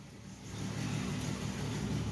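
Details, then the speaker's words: 1967 Ford Mustang, first start after rewiring with new American Autowire front harness: engine catches and rises smoothly into a brief even rev, no misses or knocks; runs fine. "i've actually got the front harness done i think um and actually at the point where i've got the car cranked so yay and she's running"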